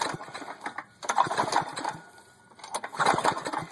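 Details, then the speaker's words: Junk buggy that once drove, after a fire, fitted with a carburetor from a Craftsman lawnmower: uneven bursts of cranking with weak puffs about every two seconds, never catches; owner suspects it isn't getting enough gas. "nothing that sounds like it's not getting much gas"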